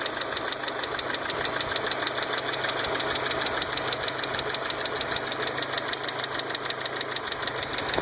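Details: 1.8T engine at idle: a knocking, chattering tick of unknown origin, fast and steady at about three ticks per second, riding over the idle.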